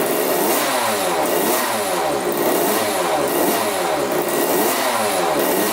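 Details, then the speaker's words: 1985 Yamaha YZ80 two-stroke dirt bike, freshly rebuilt, first start on 41 premix: crisp free blips up and down, clean and even with no knocks or rattles. Runs pretty good; the water pump looks to be working. "all right runs pretty good runs really good"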